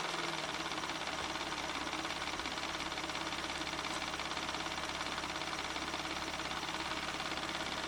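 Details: 1994 Ford Probe GT, held at about 3000 rpm: a steady, even note with no knocks or misses; oil pressure is over 50 psi, the low end of spec, while an intermittent idle pressure drop is being checked.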